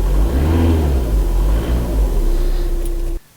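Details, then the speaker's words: VW TDI diesel after engine mount replacement: revs up and settles in one clean, even drone with no shudder, knock or rattle before shutting off. Significant vibration before is now basically gone; the motor mount was the cause. "I'm sure it doesn't translate at all onto the video there, but there's basically no vibration at all in the car now."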